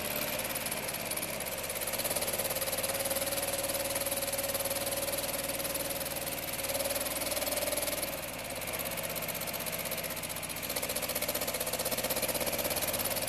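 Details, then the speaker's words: 1960 MGA engine, first start since early 1970s after rebuild, too much choke, smells rich: catches and holds an even, steady, slightly rich idle with no knocks or ticks; normal running. "yeah too much choke okay go man sounds like a real engine"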